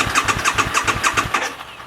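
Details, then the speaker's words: 2011 Harley-Davidson V-Rod VRSCF Muscle, connector unplugged to purge the fuel lines before replacing the fuel sending unit; after it stalls, it is cranked about 3 seconds with quick even starter pulses, about seven a second, and no firing. "And then once it's stalled out, you want to crank it up for another 3 seconds just to purge all the fuel from the remaining fuel from the lines."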